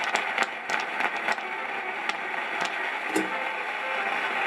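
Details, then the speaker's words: LEM DM 82 stereo disco mixer: hissy, wind-like noise with crackles and pops that change as a PCB near the power supply is bent; a cracked solder joint is suspected, to be fixed by reflowing with a heat gun. "so now i'm bending the pcb backwards and since that works i'm pretty sure it is a cracked shoulder joint somewhere that is getting a solid connection when i bend the pcb but when i let go"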